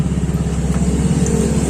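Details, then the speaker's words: Yamaha Mio scooter idling: a coarse, chattering rumble from the CVT caused by a wobbly kick-start shaft with a worn, loose boss (bushing). It also makes kick-starting hard; replacement kick-start sets failed until the boss is replaced. "Bisa teman-teman lihat, pada sela-sela engkolan itu sudah goyang, dan ketika motor hidup itu akan berbunyi kasar dan dapat mengganggu teman-teman saat berjalan."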